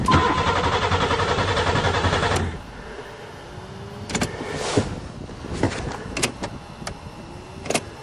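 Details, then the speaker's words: Buick Regal, start attempt in spring 2008 after sitting over winter, fuel pump now running: even starter cranking about 2.5 seconds, no catch or firing, then stops; cranks but won't start, no spark suspected (later found corrosion under computer plate beneath spark coils). "well let's try some miracle juice well it must have no spark"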